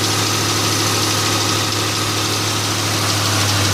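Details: 2002 Ford Mustang GT V8 idling with a light, fast ticking of roughly three per second, steady with the idle; owner suspects an exhaust manifold gasket, source unconfirmed.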